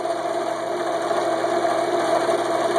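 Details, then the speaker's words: Belt-driven jigsaw after swapping die-cast aluminum pulleys, which wobbled about 1/8 inch, for cast iron pulleys with an adjustable lower pulley: steady, even mid-pitch hum with no knock or wobble. Normal running, quieter and stable. "let me turn it on and you'll see how smoothly it runs look down at the edge of it runs perfectly smooth no wobble whatsoever"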